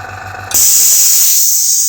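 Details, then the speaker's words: AS196 airbrush compressor at cut-off pressure (start 3 bar, stop 4 bar): motor stops and loud steady hiss from solenoid valve; traced to leaking check (non-return) valve in tank feed line, later cleaned and refitted. "And if you put your finger over that, that cuts the air. So initial impressions were that there is a fault with the solenoid or the valve."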